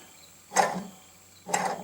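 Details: John Deere STX38 riding mower drive belt idler pulley spun by hand during belt replacement. Two short gritty rasps with no smooth coast show a rough idler bearing that is due for replacement.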